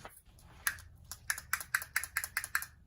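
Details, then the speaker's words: RockShox Super Deluxe Air rear shock (2017-2022) shaken during service: sharp light plastic clicks about five a second from a very loose bottom-out bumper, fixed with an undersized bumper. "as you can see this bottom out bumper is super loose we're going to use an undersized bottom out bumper from empty Hydraulics which prevents"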